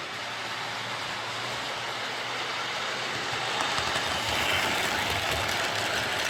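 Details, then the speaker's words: Hornby R041 GWR Class 57xx Pannier tank model loco after a new rear motor bearing, pulling wagons round the track; smooth even high-pitched motor whirr with steady rail clatter, much quieter, no grinding or rattle: normal running. "so it's definitely running an awful lot quieter with that new rear bearing"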